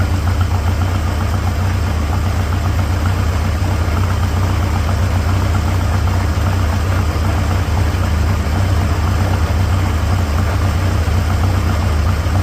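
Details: 1946 Farmall H tractor after pushrod replacement and cleaning: steady, even low thrum with soft regular beat, no knocking or missing; normal idle.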